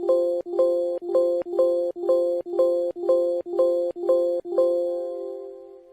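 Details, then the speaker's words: Audible chime alarm beeping about twice a second from a Nucleus HMI workstation after the Ethernet cable was pulled from the Allen Bradley AB1 PLC, signalling communication loss/PLC offline. "The beeping you will hear in this audible alarm for the AB1 PLC going offline."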